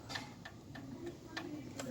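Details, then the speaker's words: 2018 Fiat Mobi engine opened, noise on cold morning start: sharp uneven clicks as pistons are rocked by hand; all pistons have excess clearance, cylinders one and four most. "todos estão com folga mas o primeiro quarto eu acho que tá com mais mais folga ainda tá"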